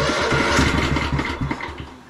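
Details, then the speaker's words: 2004 Craftsman LT1000 riding mower, Kohler Command Pro 16, started without choke: labored, irregular cranking that slows and dies with no start. Slow cranking; owner suspects it could use a better battery. "could use a better battery now it doesn't want to run at all huh"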